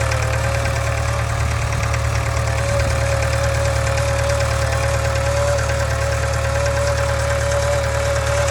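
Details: 2013 Subaru 2.0 Boxer at idle: constant droning hum with a regular knock a bit over two per second; engine knock and hum, source unclear.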